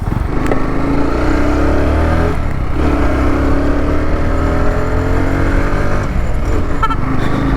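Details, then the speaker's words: Bajaj Pulsar NS200/NS160 fitted with Carbonracing windshield visor, riding test pulling hard in low gear: loud engine with only faint key-chain jingle, no buzzing, rattle or vibration from the visor; mount solid, no windshield rattle. "இந்த key செயினோட sound தான் கேட்குது. Extra noise வேறு எதுவுமே கேட்கல."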